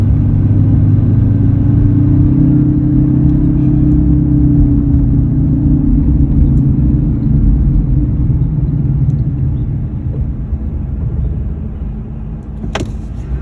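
Steady low hum under road rumble while driving, holding a constant drone that fades as the truck slows; source not pinned down.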